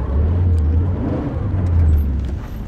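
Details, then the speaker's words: Check of left and right CV axles on a 1994 Toyota Corolla XLi 1.6 while turning: low steady engine rumble, no clicking or rubbing; mechanic finds no axle problem, noise from the engine bay when cold is unrelated. "sürtme sesi yok bununla alakası yok sağa solax'ta bir şey yok dedi Yusuf Usta Herhangi bir problem gözükmüyormuş"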